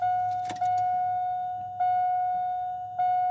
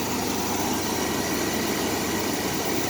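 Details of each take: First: 2001 Chevrolet S10 Blazer 4x4 4.3 V6 after sitting two years, check-engine light on: door chime, then starter cranks evenly about three seconds without catching; no start from weak spark, corroded distributor cap and burnt rotor, rusty plugs. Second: 2001 Chevrolet S10 Blazer 4x4 4.3, 165,000 miles, first run after sitting 2 years on two-year-old gas, no check engine light: even steady idle hum, no stumbles or misses. Normal idle.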